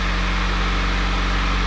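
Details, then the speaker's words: Mitsubishi Lancer Evolution, first start of a freshly rebuilt engine with forged pistons, Manley rods, ACL bearings and ARP studs, running on the stock exhaust: a very quiet, smooth, even idle with a steady low hum and no knocks or ticks. Normal idle. "It doesn't even sound like a car is running. But it's also very, very nice having a stock exhaust on right now because I can hear how perfect and quiet this engine is running."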